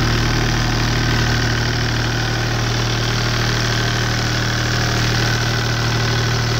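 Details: Deutz 2009L03 three-cylinder direct-injected non-turbo diesel, about 36–37 hp, cold start: steady, even low drone with a smooth beat and no knocks or misses; runs well cold.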